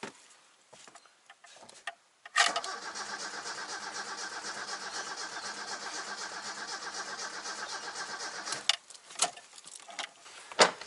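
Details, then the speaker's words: Toyota 4A-FE car that previously ran fine, battery good, cranking with starting fluid sprayed directly into the intake: steady cranking about six seconds without catching; fuel rail pressure check next. "And that's not worked either. So let's double check if there's actually fuel pressure at the rail."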